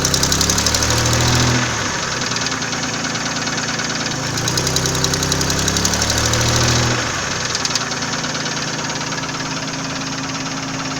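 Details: Nissan VG30E engine at idle: a sharp, regular ticking knock about three to four times a second, louder with each rev bump; owner asks what is knocking, source undetermined.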